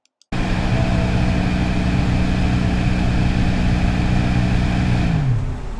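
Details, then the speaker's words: BMW 750i (F01): a steady, low growling hum from the cabin blower motor under the hood, passenger side, winding down smoothly at switch-off. This is a growling blower motor, fixed by cleaning the blower motor (same job as on the F10 5 Series). "Welcome back to the channel, guys. It's been a while, but today we're going to address the growling blower motor on the 750i."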